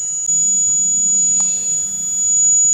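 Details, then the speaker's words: 555-driven pest repeller with a new piezo plate and an inductor from an LED light's power supply wired in parallel: a steady, piercing high whistle over a faint low hum, now sounding as expected. "So the repeller is powered up, and as you can see, you can hear the sound. That is actually what I expected to hear initially."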